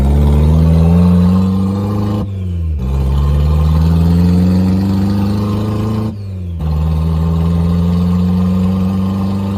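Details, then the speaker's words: 1990 Mazda Miata after sitting 7 years, first drive: loud, deep throbbing drone rising with road speed and dipping at each shift up to fifth gear. No exhaust system fitted, smoky and dumping fuel, running rich. "uh good God it's loud it is Smoky it is dumping fuel um my eyes are burning so definitely we need exhaust"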